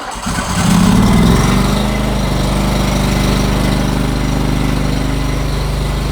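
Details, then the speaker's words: Floor scraper engine after misfire fix: closed-gap spark plug re-gapped to .020 and reinstalled; engine catches within a second and settles into a steady, even thrum without stumbling; normal running. "Fired the engine up. Everything's running good."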